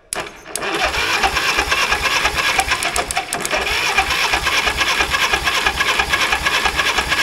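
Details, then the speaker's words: 1960s Caterpillar pony engine cranking with clutch disengaged: steady even cranking chug about three beats a second with no firing or pops; no spark, usually oxidized breaker points in the magneto. "usually what the problem is is the points inside of this cover here get oxidized there's a set of breaker points just like in a car ignition system only this set of points is run by a Magneto rather than a coil and condenser"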